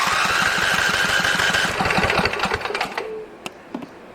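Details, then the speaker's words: Husqvarna 2246LS V-twin mower with one cylinder misfiring, compressions 150 and 145 psi, cranking with a spark checker fitted: steady chuffing about four per second that never catches; spark present on both cylinders but weak, so flywheel magnet and wiring are to be checked. "It's got spark, but it's not real strong."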